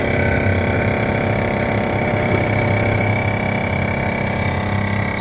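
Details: 2016 Isuzu NPR gas box truck with a GM V8 that won't start and shows no codes, key on and engine off: a steady low pump drone from the brake booster runs on without shutting off. Cause suspected, not confirmed.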